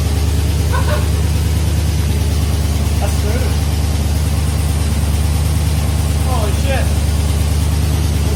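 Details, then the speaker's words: Chevy Tahoe V8 after a stock rebuild with a BTR V2 stage 2 cam, LS7 lifters and long tube headers, on a Michigan Motorsports base tune: a steady, even idle with a mild lopey cam pulse and no knocks or ticks; healthy. "It's running on that cam. All right, so we got the base tune from Michigan Motorsports loaded up in, and it's pretty dang good."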